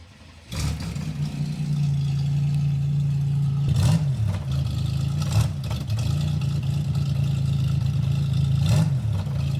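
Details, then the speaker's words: Car running after exhaust repair with the muffler fitted, previously straight-piped; steady, even low drone with smooth muffled exhaust note, no leaks or rattles, normal running. "All right, let's put the muffler on. Is with the muffler."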